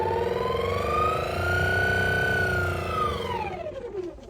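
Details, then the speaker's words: 2009 Toyota Camry HVAC blower under glove box, fan speed raised and lowered: whine climbs with fan speed, holds, then sinks as it slows; owner suspects blower motor. "she reported a noise coming from her AC I think it's just the blower motor I'll show you why so all we're going to do is turn this on and you can hear it right down here that's where it's going to be under the glove box if I turn it up"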